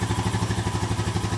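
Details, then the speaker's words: 2007 Honda four-wheeler long stored in a barn, fresh oil, new oil and air filters, running off a makeshift fuel tank: even regular thump about twelve per second without misses or knocks; smooth healthy idle after revival. "it's running [Applause] sounds pretty good [Applause] sounds smooth"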